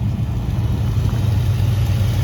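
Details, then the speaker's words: 1967 Mercury Cougar V8 with exhaust, after water pump replacement, long-stored car: deep, steady burble at idle, even with no knocks or misses; normal idle, though shaky at startup (worn motor mounts suspected). "let's just get it started up here real quick sounds good he's got he's got exhaust on here so it sounds good"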